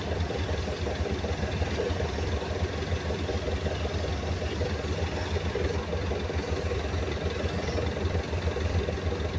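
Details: Perkins 2206 series diesel: steady idle with a loose, uneven knock riding on it, roughly a hundred a minute; knock present, cause not pinned down.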